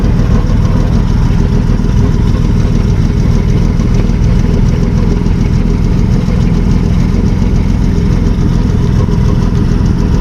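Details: 1955 Plymouth two-door wagon, parked since 1980, with the muffler cut off: steady, even low rumble idling without exhaust, no knocks or misses, strong oil pressure; normal idle.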